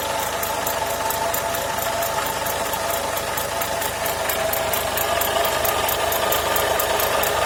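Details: Renault Logan after alternator repair, at idle: steady idle with fast uneven ticking rattle, roughly three or four per second, over engine hum; abnormal noise, source unclear.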